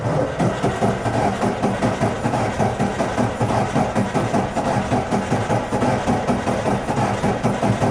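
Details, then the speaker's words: 1996 Ford Ranger 3.0 V6 cranked at wide-open throttle: cranking rhythm hitches with a brief pause each cycle instead of an even beat; low compression in cylinder 4. "para los que ya tienen experiencia se darán cuenta que el sonido del motor no es constante hay un momento en el que hace una pequeña pausa"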